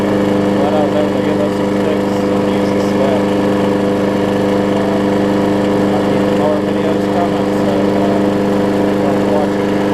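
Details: Murray 20-inch mower's six-horsepower Quantum-type Briggs & Stratton engine, transplanted onto a Craftsman deck, holds a steady, even pitch under blade load with no surging or misfires; runs good.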